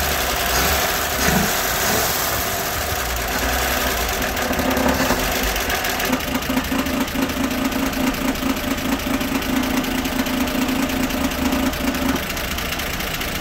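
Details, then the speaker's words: 1960 Grumman Olson Kurbside step van 235, first run since 1992, cold idle around 30s °F: light, irregular tinny rattle over a steady idle from the valve cover, which isn't bolted down. "little bit of rattling from the valve cover. I don't have it bolted down."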